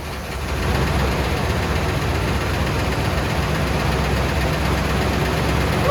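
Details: 1979 Cadillac Brougham d'Elegance, 425 cu in four-barrel V8, stored about 10 years in a pole barn, new battery, running on old fuel: steady, even V8 rumble at idle, no misses or knocks; starting and running on its own pretty good.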